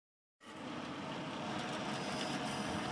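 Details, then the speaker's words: Desktop PC power supply and case fans: loud, steady rushing whir caused by excess dust and dirt on the case and PSU heatsinks/fans; fix is cleaning and lubricating with 3-in-1 oil. "se escucha bien el ruido que está haciendo la fuente verdad hacen un ruido como un poco fuerte los ventiladores y esto se debe al exceso de polvo de suciedad que tiene tanto el disipador de el case como el disipador de la fuente"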